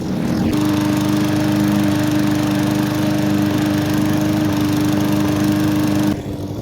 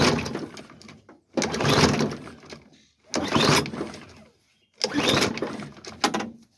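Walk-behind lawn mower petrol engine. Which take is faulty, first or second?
second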